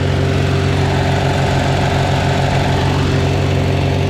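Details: Farmall Super A antique tractor, timing untouched, number 4 plug checked but another plug still loose, idling down: even low throbbing at about four beats a second, no misses or knocks; still running good, normal idle.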